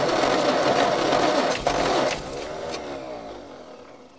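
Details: Old petrol Bedford tip truck (owner guesses early 60s–mid 70s), sat 10+ years, cranking with an extra earth on the starter braid. No quicker: sluggish whirring crank around three turns a second winding down without catching. Owner suspects a lazy, probably Lucas, starter or bad earth connections.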